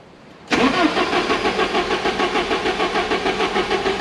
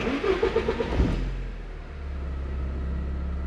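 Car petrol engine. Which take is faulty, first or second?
first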